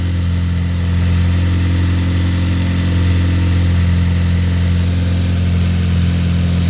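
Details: Cold start of a rebuilt VW engine (2023, 23k km) after top mount bearing cleaning, with the air conditioning on: a strong, even low rumble with no ticking, knocking or misfire. Normal, healthy cold idle.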